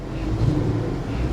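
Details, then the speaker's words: 2014 Dodge Avenger V6 at a salvage auction, cold 35-degree day, throttle blipped: low rumble pulses unevenly with a stumble in the beat; dead miss on one cylinder, cause unknown, bad gas considered unlikely. "yeah she's got it she's got a dead miss"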